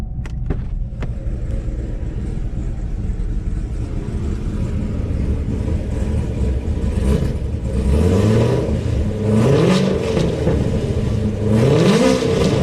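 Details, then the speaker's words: GM LS V8 (Suburban/Yukon/Escalade platform), warmed up after oil pressure sensor replacement, driving: deep, even V8 pulling cleanly, pitch climbing smoothly through repeated revs, no knocks or misses; strong, healthy engine. "alright guys let me say you down we'll get at least a couple of reps out of it man that sounds good"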